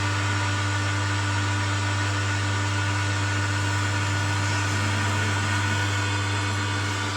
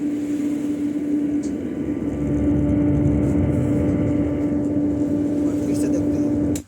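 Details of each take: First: Home theater subwoofer giving only a steady low electrical hum instead of sound, while the USB board and FM work. Later a burst capacitor, blamed on a high-voltage surge, is found: mains hum from the sub amplifier. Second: Home theater subwoofer after replacing the failed amplifier IC: a clean, steady low tone with no hum or crackle, so the output is working properly. The burst 25 V capacitor is replaced afterwards.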